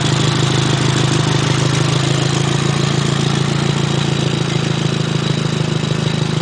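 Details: Nissan SR20DET at start-up and idle: rapid, even ticking puff over the engine hum from an exhaust leak at the Blacktop downpipe.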